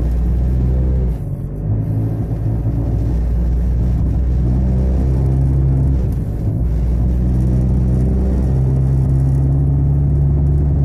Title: Honda Civic rough noise & vibration